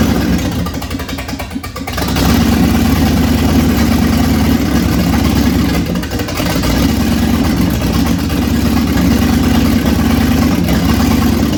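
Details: 1965 Ford Thunderbird, FE 390 V8, first runs after timing and ignition work: catches and runs rough and uneven, sagging and surging for several seconds before dying; longest run yet, owner suspects a fuel issue, fuel line to tank had been unhooked.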